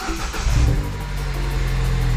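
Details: 2009 Mini Cooper S first start after head gasket, timing, intake, turbo and cooling repairs, oil pressure about 30: quick blip of revs settles into a smooth, even note with no knocks or rattles; sounds healthy.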